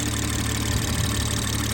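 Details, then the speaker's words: BMW 440i Gran Coupe B58, just after installing a Dorch Stage 2.5 high-pressure fuel pump and flashing the tune: after a long crank, a smooth, steady low idle with an even rumble and no ticking or stumbling; no leaks. "It was like a long crank, but it started up fine. No leaks."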